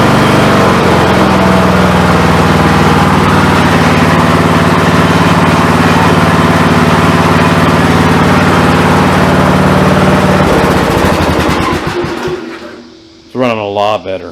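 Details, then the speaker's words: Briggs & Stratton Intek 17.5 hp engine on an MTD mower after carburetor replacement: steady, even single-cylinder beat at low idle, about four pulses a second, no misses or surging, not leaking by the needle on the old seat, then shut off; normal idle. "actually idle head a low rpm we're all smoothly and it's not leaking by the needle at all on the old seat"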